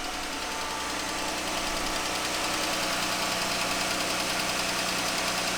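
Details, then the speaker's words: 2015 Jeep Grand Cherokee 3.6 V6 at idle: fairly regular light ticking, about three per second, over the steady engine run; worn roller rocker arm. "um it's got a ticking noise from the engine so we're gonna figure out what's going on with it"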